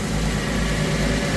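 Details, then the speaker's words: Hardi 363 sprayer pump after new bearings fitted, driven by tractor: steady, even pump hum over the tractor drone with no knocking or grinding; running smoothly, low rate as it should be, leak fixed. "Seems good, I think. Sounds good. Smooth. Good. Working."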